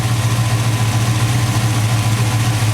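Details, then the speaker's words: V8 truck with MSD 6A ignition on a true cold start: deep, even rumble at fast cold idle with working choke and high idle circuit, no ticking, knocking or pinging; healthy. "noise, no knocking, no pinging, no nothing. This thing just runs like a champ."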